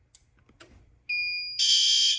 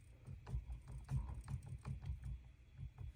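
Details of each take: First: Fire alarm panel: clean high tone, then a harsh half-second pulsing horn blast; the horn is sounding normally. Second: Fire alarm panel trouble signal: steady high-pitched electronic buzz in repeated one-second bursts, sounding because the CO device was accidentally disabled while changing device settings under the level 1 password.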